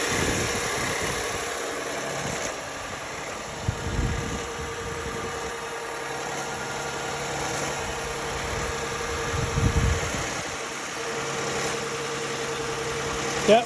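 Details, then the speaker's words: 2009 Lexus ES350 at idle: faint rhythmic wobble over the engine hum, which the owner suspects is a bad water pump (unconfirmed). "Symptoms of a bad water pump on 2009 Lexus Es350. You need to hear the wobbling right there."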